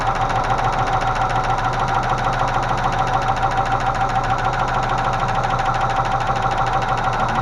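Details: Range Rover Classic 3.5 V8 at idle: a constant dull, quick ticking knock; hydraulic lifters were knocking after oil loss from an unscrewed oil pressure sensor, and the lifters in cylinders 8 and 5 were found collapsing; the intake manifold had been removed and cleaned, and new rockers were fitted.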